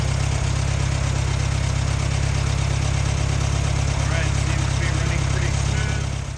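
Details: 1968 VW Bug engine out of the car, restarted after valve adjustment to .006 in and compression tests: steady low, even putter at idle with a regular beat, no tapping or misses. Normal idle.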